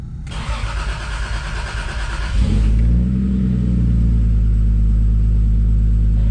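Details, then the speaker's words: MK3 Toyota Supra 7M-GTE 3.0 turbo straight-six with metal head gasket, ARP studs, 550cc injectors and Garrett GT35 turbo on one bar boost: even two-second starter crank, then it catches with a deep rumble and settles to a smooth idle, a normal start. "it's a really deep Rumble that this car makes the sound that it makes it's a it's a really deep voice really deep tone"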